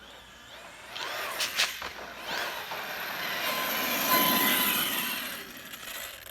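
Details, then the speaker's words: Arrma Kraton EXB 1/8 RC monster truck after differential teardown, shimming, fluid check and pinion grub screw clearance fix: smooth electric whir passing by, gear noise gone, though owner suspects a diff issue remains; normal drivetrain running. "That definitely sounds a lot better. I'm not hearing any of that gear noise I was before."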